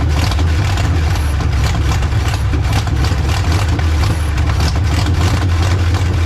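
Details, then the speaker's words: Old, tired, badly worn carbureted V6 jump-started with a VTOMAN 2000A after priming the carburetor pump; catches and settles into a deep, slightly uneven, lumpy idle. Rough idle. "she certainly did the trick to get this old tired motor started up i mean this thing if you guys had seen the videos uh it's in pretty bad shape"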